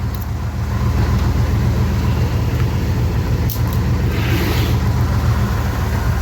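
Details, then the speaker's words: 1976 Chevelle Malibu V8 warming up at idle after new 350 Turbo transmission installed: deep, steady burble, even, no knocks or ticks; normal warm-up idle. "sounds good I don't know how it sounds on camera but sounds good up close"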